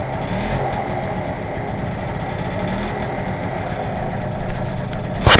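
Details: PA50 idling: fast, light ticking over a rough, uneven small-engine idle, with a sharp clatter near the end; source unclear.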